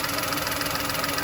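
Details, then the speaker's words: VW Polo idling with check engine light and code P0068: steady airy hiss over an even petrol idle, with a tone change when covered by hand; air drawn in through the crankcase ventilation pipe into the intake manifold. "and a Hy sound so bring my hand down yeah as I'm doing that you can hear the engine tone change and I don't know can you hear that hissing sound take it in on one there from that pipe there that pipe goes from here in to the intake manone and that is the CRI case ventilation pipe"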